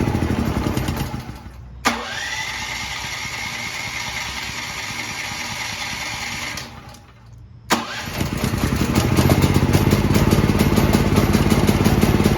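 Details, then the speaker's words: New Firman T07573 tri-fuel portable generator on gasoline, first run after more fuel was added to a near-empty tank. Two pulls of cranking die away, then it catches and settles into a steady, even, loud drone: running normally. "step back here because that's awfully loud it's purring like a kitten"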